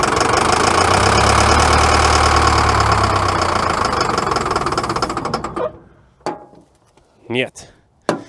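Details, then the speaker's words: Caterpillar 922B loader diesel that sat over a year, cold start on ether: catches and runs a few seconds, then fades and dies with scattered coughs; running mostly on ether, starved of fuel. "all right so the engine does run you guys heard it fire up there trouble is it was only running well not only running I'd say it was running 80% on ether it took off just a little bit on the fuel but"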